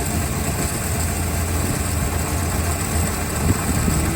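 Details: 1964 Chrysler Newport V8 after jump-start, start wire pulled and fuel pump reconnected, running through ballast resistor: low, smooth, even rumble with no stumbles or misfires, idling normally on its own, charging.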